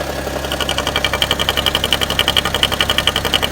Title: strange noise on bmw e60